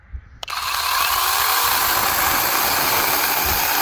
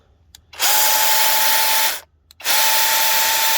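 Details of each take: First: Two battery mini chainsaws running on DeWalt 20V lithium-ion batteries; the brushless saw cuts 2–3 inch cedar with a steady, full-pitched roar that never bogs, hesitates or stalls, even pushed hard; normal cutting under load. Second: Cordless mini chainsaw on a 20V DeWalt battery, free-running with the chain oiled: two bursts of harsh buzzing with a steady high whine near 900 Hz, noise coming mainly from the motor, not the chain.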